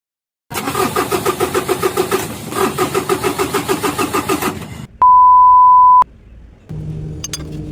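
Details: 6D40 diesel, morning cold start: about four seconds of uneven, pulsing cranking without a clean catch, struggling to fire.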